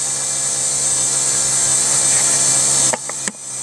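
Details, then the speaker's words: Rover 75 CDT diesel after fuel filter and lift pump service, ignition on without starting: thin steady high whirr over a low hum for about three seconds then stops; self-priming lift pump priming normally. "I'm not gonna start the car so the system is supposed to be self-priming that's whizzing"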